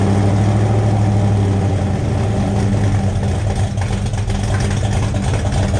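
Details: 1972 Buick Skylark with a freshly installed 427 V8 on first fire for break-in, rocker straightened and timing checked: deep, even rumble at steady idle, no ticking or misses from the valvetrain, healthy; exhaust has an open O2 sensor hole.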